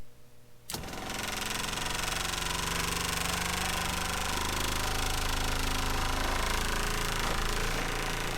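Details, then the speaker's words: 12V diaphragm water pump in an RV, dB meter about 12 inches away reading 77–78 dB: it starts abruptly with a loud, rapid, buzzing chatter and heavy vibration that carries into the living space. "hopefully you can hear that on the video but I mean there's still a lot of vibration going on down here and that noise all translates back into the living space"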